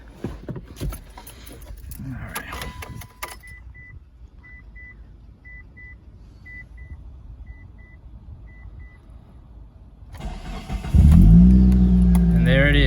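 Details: Car start after fixing a loose, spinning battery terminal with a battery post shim; door chime beeping, quick crank and engine catches into a steady idle with no hesitation, no warning lights: normal engine start.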